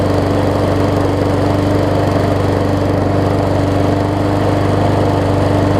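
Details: Murray 20-inch 3.75 hp mulching push mower, long dormant with a stuck-open intake valve that was freed, after an oil change with Seafoam, new air filter, primer bulb and pull rope, and the governor vane freed: steady, fast, even single-cylinder drone, much better rpm.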